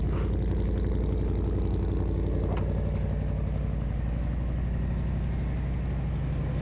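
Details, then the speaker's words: 1976 Ford Ranger Explorer truck with 390 V8 at idle; steady, even low burble with regular firing pulses, no ticks or knocks, quiet as a sewing machine, healthy idle. "Quiet as a kitten up front. Just sounds like a sewing machine."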